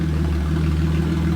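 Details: Stock V6 VX Commodore with the muffler cut off and a new side-exiting exhaust welded up. It holds a deep, steady, rumbling idle, smooth and even with no misses, just louder and boomier without a muffler: normal idle.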